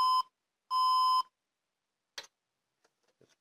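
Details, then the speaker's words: HP Compaq dc7800 Ultra Slim PC powered by a 90 W HP adapter (19.5 V, 4.62 A): short high beeps, four beeps and four red flashes, nothing starts; adapter too small, boots with a 200 W adapter: power supply fault beep code. "So, it doesn't work. It beeps four times and flashes four times."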